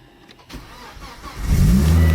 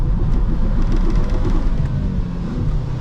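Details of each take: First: Ex-police Volvo T5 estate, manual, 2.4-litre five-cylinder turbo: brief crank catches at once and settles into a steady low idle; clean first-time start, sounds healthy. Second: Ex-police manual Volvo T5 estate, 2.4 L turbo five-cylinder, 200,000 miles, on damp road: heavy drone surging and dropping irregularly under throttle; engine stuttering while accelerating with poor traction, cause not identified.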